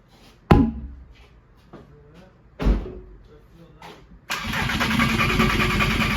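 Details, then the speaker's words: VW GTI with a swapped 2.0 PD TDI diesel (2004 harnesses, turbo kit), first start attempt with old fuel and an unverified in-tank pump: starter turning in bursts then cranking steadily without catching, apparently getting no fuel. "Sounds like it's getting no fuel though."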